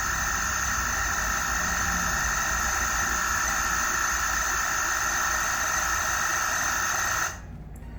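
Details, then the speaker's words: Megmeet drive board (Mite series) running a compressor in quick start mode after reading its stored data: steady high whine with several fixed tones that cuts off abruptly; the same annoying noise as before, blamed on faulty board PROM data. "तो आप देख पा रहे हैं कि कैसे compressor ने वही पहले वाली आवाज करनी शुरू कर दी है"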